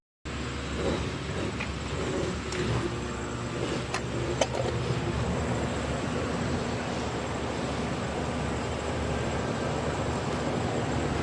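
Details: Central AC outdoor unit with a newly replaced condenser fan motor, running after its reversing wires were swapped to correct the spin direction. Steady, even rush of air with no scraping, wobble or rattle; the new fan motor is running smoothly.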